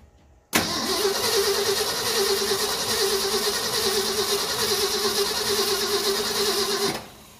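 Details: 1974 Ford F250 High Boy 4x4, sat possibly 20+ years, fuel line disconnected at filter to check pump, battery getting low: starter churns steadily for six seconds, engine never catches; crank no start, fuel smells bad, like water.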